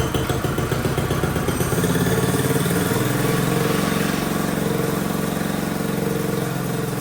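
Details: Mini bike small single-cylinder engine just fitted with a Nibbi Racing carburetor and air filter, air-fuel screw adjusted until it started: small revs, then fairly steady buzzing idle, slightly uneven but running cleanly; normal running.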